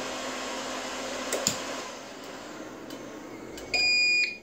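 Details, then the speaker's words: APC XS 1300 UPS with new replacement battery (tested full 24 V), about 60 W load, mains cut: fans wind down, steady high beep about half a second, output drops; can't hold load on battery, power surging, cause unconfirmed. "that thing is not happy you heard the heard the fans spin down it was getting some surging of power so not happy"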